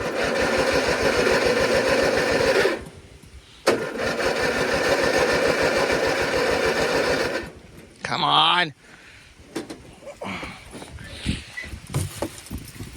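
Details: 1997 MTD Yard Machines riding mower: fuel tank, lines, filter and carburetor were completely empty, gas just added. Two long bursts of even starter chugging, about four per second, never firing. Cranks but won't start from fuel starvation.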